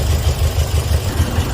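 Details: Toyota Vios 1NZ engine before repair, idling with the A/C on: low, uneven, lumpy idle with irregular dips and shaking, a misfire with no dash warning lights.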